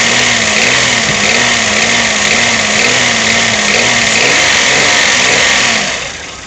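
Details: Toyota 1KR-FE engine knock while revving despite new timing chain, tensioner and guide; hard, regular metallic knock over a loud hiss, cause unknown.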